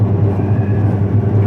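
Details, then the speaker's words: Washing machine after repair, final test loaded with weight and no water: steady low hum with gentle even pulse, no grinding or knocking; noise heard for two months before is now reduced. "कम तो है आवाज कम हो गई ना"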